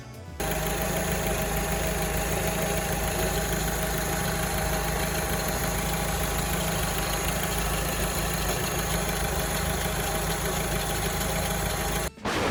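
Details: Alfa Romeo 159 petrol engine after long highway drive over rough road: steady idle with loose busy rattle from engine room; failing air-conditioning compressor.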